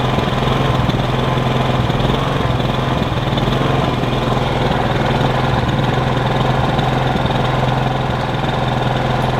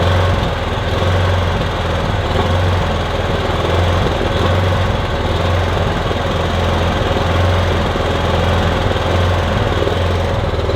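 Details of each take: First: Kipor Sinemaster IG2600 digital generator, about 2 kW, age unknown, after sitting years in a garage, first start after checking for fuel leaks: steady, even engine drone at constant speed with no misses, knocks or surging; running normally. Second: Kipor Sinemaster IG2600 digital generator, stored in a garage for years, running on choke with starting spray, cold: steady drone that swells and dips unevenly, running rough; owner hopes it smooths out as it warms.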